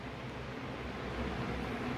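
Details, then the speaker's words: Room fan that took long to reach speed, after oiling front and rear motor bearings, reassembled, running on low; soft even whir with no ticks, scrapes or wobble; spins smoothly and normally. "do we start off on low first seems to be working great"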